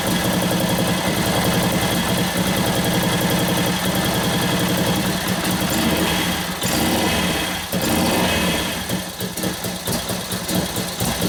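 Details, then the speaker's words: 1941 Harley-Davidson WLD 45 flathead V-twin, 56ci stroker build, first kick-starts: loping, uneven beat runs only on choke, ignition retarded slightly; when the choke is turned off the mixture goes lean and it stalls. "When I turn the choke off, it died because I leaned it out."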